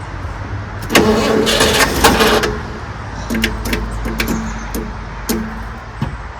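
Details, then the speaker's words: 1974 Ford F-100 pickup, not run in 25 years, being started on added fuel with choke fully closed: cranks about a second and a half, then stops turning with only dry clicks; engine binds or locks up. Owner suspects failing starter. "Well, it's locked up. Oh no, she's good. Now my starter is still spins over. Stop working. Yeah, it kind of locked up on us. Yeah, she ain't turning now."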